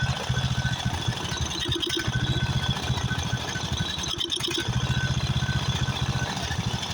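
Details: Craftsman riding mower, 13.5 hp Briggs & Stratton OHV single, after a carburetor replacement: choppy beat that surges and stumbles in bursts, running rough. Owner suspects fuel mixture adjustment or possibly a blown head gasket.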